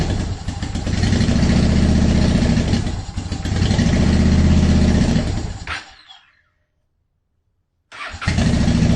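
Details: 2010 Honda Shadow Phantom first started after fuel pump and gas tank cleanout, refilled with non-ethanol fuel plus B12 Chemtool, air still in the system. It fires and surges unevenly, cutting out and catching: hard starting, rough running.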